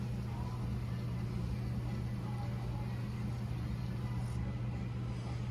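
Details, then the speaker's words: 2013 Chevy Silverado blend door actuator, key on, engine off, blower on 1: low steady motor hum as the temperature is turned down and the door sweeps, with no clicking or stalling, so the actuator works normally. "Now we're gonna go down with the temperature. And you can watch this guy spin. There we go. She's turning."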